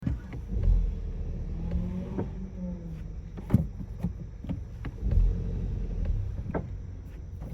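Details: Sharp scattered clunks over low car rumble after a brake job: new brake pads with incorrect tolerances move up/down in the bracket, knocking when switching drive to reverse and braking; fixed by replacing pads with different manufacturer.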